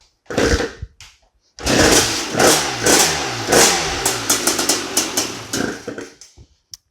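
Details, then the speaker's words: Honda TRX250R two-stroke ATV, first-ever start, premix at 38:1: after a kick it crackles into a ragged, uneven burst of firing for a few seconds, then dies; hard starting from incorrect ignition timing. "so this thing is obviously a beast to start it's nice that it at least kicked over and then we could hear it run for a second"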